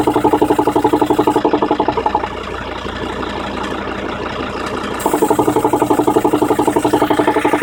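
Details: 2003 Volvo V70 D5 diesel idling: sharp, regular popping about four per second, fading briefly then returning. Popping noise at idle; vacuum or engine mount issue suspected, not confirmed.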